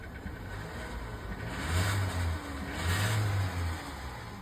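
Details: Nissan Qashqai engine revving in two swells with a dull knocking under the rising revs; engine knock, cause not identified.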